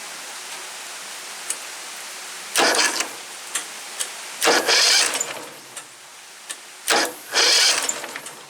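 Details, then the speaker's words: Woods 6180 zero-turn mower, 18 hp Briggs Vanguard, swapped-in starter tested, carburetor untouched: several short cranking bursts catching into brief uneven running; starter spins strongly, engine runs rough. "I haven't done nothing to the carburetor, so if it fires up it's going to run like crap, but I'm just wanting to test the starter."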